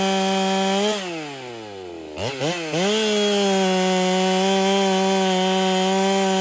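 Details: Ported Holtzfforma 395 chainsaw, very quiet: screams at high revs, drops under load and recovers, faint hiss from muffler; owner suspects muffler isn't flowing enough, unconfirmed.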